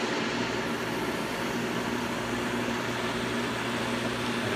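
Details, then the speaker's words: Pool pump running normally once the clear-top basket is refilled and primed: steady even whoosh of water, water moving rather violently, constant low motor hum, no surging, rattling or air gulping. "you'll see it fully full right about now and you'll see that the water goes rather violently and it should run that way right now"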